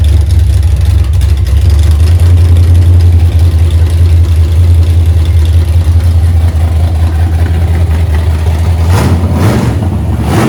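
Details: 1982 Holden WB ute, 355 stroker V8 with 280 solid flat-tappet cam, first run after six-year build, timing about 10°, no vacuum advance hooked up, warming up: loud, deep idle loping unevenly two to three beats a second; lumpy cammed idle.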